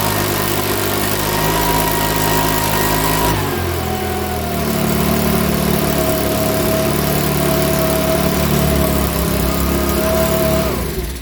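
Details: Makita BHX2500 four-stroke leaf blower, after valve clearance and timing check, NGK plug checked, airbox off: pitch sags and wanders instead of holding steady; rough running, owner reckons it needs a new carburettor.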